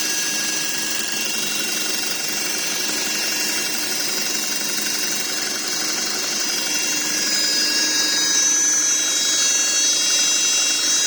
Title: Audi Q5 2.0L turbo - Whining noise from gearbox